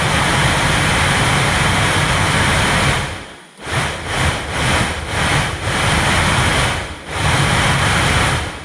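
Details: 2006 Vauxhall Corsa C 1.2 heater blower motor, which only worked on speed 4, run on the bench: rough, loud whirring that dips and recovers. Slightly smoother after oiling but still noisy; signs of water ingress.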